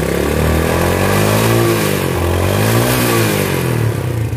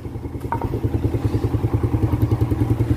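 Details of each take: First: Yamaha Vega ZR single-cylinder motorcycle, long unused, first start before overhaul, worn piston and circlips: loud metallic tak-tak knock about three or four a second over rough running, like two big irons colliding; connecting rod knock. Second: Vega ZR motorcycle after a heavy overhaul (long unused; leaking valve seals, corrosion from spilled battery acid), kick-started: steady, even low putter at idle with regular firing, no knocking or rattling; smooth like new.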